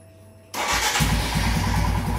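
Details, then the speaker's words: Royal Enfield Himalayan after reseating the throttle position sensor connector until it clicks: starts at once and settles into an even, regular thump, much smoother, no hiccups on acceleration. "all of a sudden you see either this lot smoother and once I accelerate no hiccups whatsoever it's properly going all the way up so that is how it should be"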